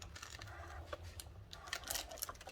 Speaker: Okay, and then we just wind it through. You can hear it crackling, which means it's cutting.